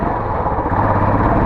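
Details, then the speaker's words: Royal Enfield Classic 350 BS6 on a test ride after the tik-tik noise was diagnosed as valve guide noise and repaired: steady, even engine note with no ticking, slightly different at the high BS6 rpm. Engine runs clean and healthy. "Sound तो बिल्कुल perfect हो चुकी है, देख सकते हो। ये BS6 का RPM बड़ा रहता है, अगर इसका RPM कम होता है ना बिल्कुल शांत, क्योंकि एक हाई RPM पे थोड़ी साउंड अलग रहती है।"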